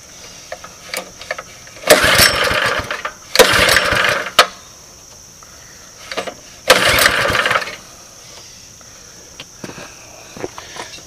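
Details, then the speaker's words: 2005 Baja Warrior mini bike, flea-market parts bike, missing air filter, started on old ether: three uneven one-second bursts of small-engine firing with quiet gaps; it catches and runs briefly on starting fluid. "this thing feels like it's gonna want to run away and just as soon not crashing into anything importantly so it starts it runs it moves"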